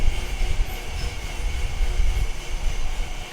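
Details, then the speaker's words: Felting machine making flat felt: steady low rumble with loose even thumping, no knocks or squeals; running normally. "It's noisy in here. So this is making felt, a flat piece of felt."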